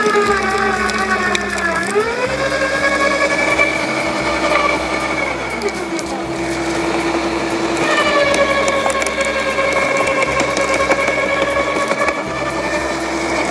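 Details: LawnMaster 2800W quiet electric garden shredder with self-feeding, shredding mixed-size garden cuttings, including thicker branches: motor whine sags as branches feed in, then climbs back to full speed without strain. Normal, clean shredding.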